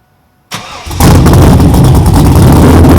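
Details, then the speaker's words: 6.0L V8 Pontiac Trans Am first start after installing a new exhaust: silence, then the engine catches and settles into a loud, deep, steady rumble with crisp exhaust bark; a healthy engine. "wow that sounds amazing it is loud it sounds like a proper that's far now yeah I'm glad I did this oh yeah it sounds really cool"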